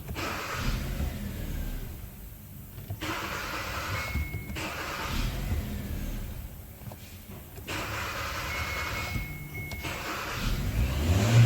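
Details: Kia Cerato/Forte with code P1690: repeated short bursts of cranking and catching, each firing briefly then dying; start and die, faulty ECU suspected, not confirmed.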